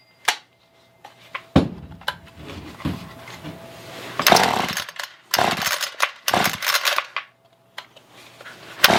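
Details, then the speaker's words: Roadside Ryobi two-stroke string trimmer, dirty tank with little fuel, recoil start: short bursts of high buzz that catch briefly then die each time; starts then stalls, cause not confirmed, carburetor cleaned next. "so it starts up and then dies right away"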